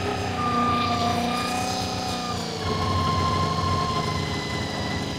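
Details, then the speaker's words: Honda VFR400 NC24 with rebuilt carbs, near operating temperature, set to about 3000 rpm on vacuum gauges with carbs well out of balance; idle pitch steps up as each carb is adjusted, so idle needs winding down during synchronisation. "As you can hear, as I'm turning the carburetors, throttle's going up, so it's actually defining it all. So I have to keep turning the idle down."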